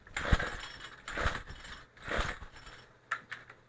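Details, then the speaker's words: Craftsman Speed Start trimmer power head, after carburetor and fuel line replacement, choke on, primer pumped, throttle cable off: three slow recoil pulls, ratcheting whirs about a second apart, no firing. Won't start; owner suspects flooding. "well we do know it runs I think I may have flooded it"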